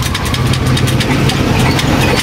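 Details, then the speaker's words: Rusi Chariot 175 tricycle used for hauling water, engine running: a fast, busy idle with quick ticking over a constant engine buzz, revs well above normal; idle set too high and wasting fuel, to be lowered with a screwdriver. "Parang may problema nga no? >> Mataas yung menor. >> Oo mataas yung >> O babaan natin. Mataas yung menor niya bro. Patakaw sa gas yan."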